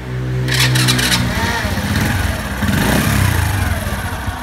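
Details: Honda Wave Alpha single-cylinder bike, bored to a 52 mm cylinder, previously knocked in the bore when hot. Test-run warm after the repair, it revs up and settles into an even, steady beat with no piston slap or knock. Exhaust smokes slightly. Normal running.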